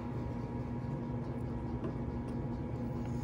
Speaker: you'll hear a few noises one is more constant and it's the noise of the gearbox from the input motor and then you'll also hear the intermittent click of the limit switch when it is triggered every one quarter of a rotation